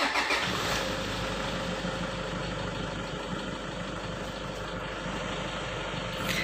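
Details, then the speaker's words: 2009 Toyota Innova diesel automatic with a hesitation complaint and dirty intake, before tune-up: fires up and settles into an even idle around 800 rpm with no knocks or misses; engine check normal. "Jadi, untuk bagian pemeriksaan mesin, itu normal, tidak ada masalah atau hal yang tidak terjadi."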